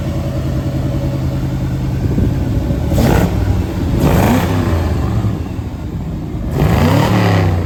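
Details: 1965 Ford Galaxie 500 390ci V8 with new Holley Sniper EFI in basic closed-loop learn mode; catches, settles into deep lumpy idle and takes a few quick blips, each revving up and dropping back cleanly; normal idle.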